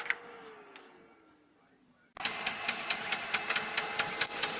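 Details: Lexmark X364dn printer: a motor winds down, then loud rough grinding starts with a rasping pulse about twice a second. Replacing the fuser and main drive didn't help; replacing the duplex unit solved it.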